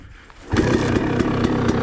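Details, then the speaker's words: KTM 300 two-stroke on a stock Keihin PWK 38 carburetor with JD Jetting kit: settles into a crisp, even ring-ding idle with steady popping; sounds very healthy. "we can probably hear it I'll stop you can probably hear it very it sounds very healthy first kick probably"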